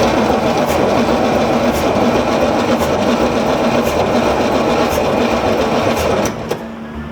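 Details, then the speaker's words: 1963 Corvette split window, possibly 411 engine, cranking; steady fast cranking three to four turns a second with uneven lumpy beat, sound of something leaking; owners suspect a loose plug or hole in the head, unconfirmed. "like something's open right yeah why is there leaking out of somewhere sounds like it's under me though"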